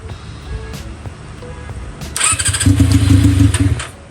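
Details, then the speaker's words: Honda CB400 four-cylinder engine with square-slide carburetors in an off-road golf cart, started on the stock setup before carb vacuum sync: starter churns, engine catches roughly and sags away, keeps running and revving only on choke; hard starting. "แบบมันมันมันมันเดินไม่ได้ไงมันติดนะแต่ว่ามันต้องโช้คตลอด"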